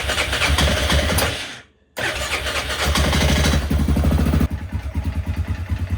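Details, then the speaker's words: Yamaha Grizzly 600 after carburetor rejetting: uneven idle with hollow knock about three per second, won't take much throttle, slightly more with choke. "Alright, so she's not taking much throttle. That engine sounds a little noisy. Takes more throttle when the choke's applied, but still not much. Something up there doesn't sound too good."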